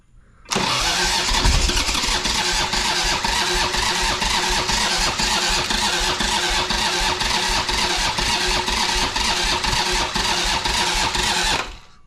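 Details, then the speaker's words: 1985 Harley-Davidson Sportster Ironhead V-twin, sat outside a long time, first start attempt after oil added: fast steady starter churn with occasional uneven firing pulses, trying to catch but never settling; cranking with intermittent firing, close but not running yet. "close she is thinking about it"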